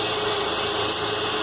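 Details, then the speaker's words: 2003 Acura MDX idling after replacing worn power steering O-ring and refilling fluid, steering left and right: even hiss with no pump whine or groan; earlier noise gone, no leak. "Also make sure there is no leak where I disconnected, and I don't hear that noise that I was hearing it before from the pump."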